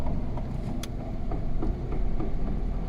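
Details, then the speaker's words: Lada Priora on a lift, driven in gear at low speed: faint regular knocks about three a second over deep drivetrain rumble, present in all gears, clearer in fourth and fifth; gearbox final drive pair, planetary also noisy. "я надеюсь слышно на камеру на четвертую более отчётливо слышно уже рогатая пятая передача в общем стоки слышны сейчас будем разбирать"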